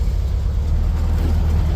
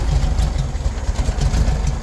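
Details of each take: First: 1973 VW Beetle air-cooled four, in neutral, after plug wires were reset to the 1-4-3-2 firing order and the distributor was roughly refitted with timing not yet set: deep, steady, even chugging with no misses. Normal smooth idle. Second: 1973 VW Beetle idling unevenly and lumpy, beat stumbling and dipping every few seconds; runs rough, starts first time, chugs, then won't run and just cranks; new ignition parts and carburetor rebuild kit to be fitted.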